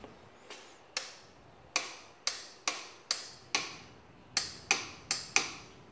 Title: Clicking noise from solenoid! 2015 Yamaha Raptor 700SE won't start!